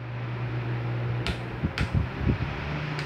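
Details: Arno Vitality 40 cm fan, 220 V 60 Hz 80 W, that wouldn't start unless spun by hand, after replacing the phase capacitor: even low motor hum at steady speed, then soft clunks as the head swings; runs and oscillates normally.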